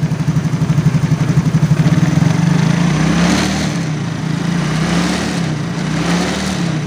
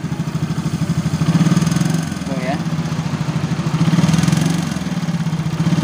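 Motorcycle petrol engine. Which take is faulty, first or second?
second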